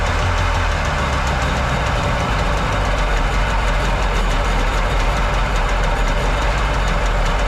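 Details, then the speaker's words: Jet boat's second two-stroke, carbs not yet rebuilt, after freeing a stuck choke: loud ragged, stumbling beat never settling to a clean idle, top-end bog; owner thinks carbs need rebuilding, unlike the smooth-running other engine. "thinking I might have to take these carbs off on this engine and rebuild them because that one's running great smooth that one's running real good this one not so much this one's not wanting to idle it kind of has like a high-end bog top end bog"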